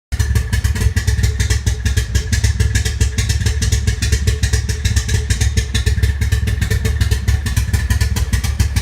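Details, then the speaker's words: Toyota MR2 SW20 Turbo, 3S-GTE engine, first start back at home: loud, lumpy exhaust pulsing with uneven beats and stumbles at idle, running rough; a misfire, cause unconfirmed, owner suspects boost or vacuum leaks. "I have tried to start up the car as you can see from the clip it just sounds terrible like I said it's a misfire or something"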